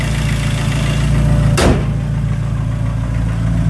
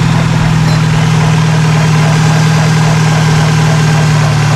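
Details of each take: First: 2003 Dodge Neon 2.0 SOHC after replacing the timing belt, water pump and thermostat: steady, even low-pitched idle, no squeal or ticking, one brief thump midway; earlier squeaking gone, engine healthy. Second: 2003 Dodge Neon, manual, first start after timing belt and water pump replacement: loud steady idle with a faint, uneven rub on the low drone; plastic timing cover rubbing on the belt tensioner.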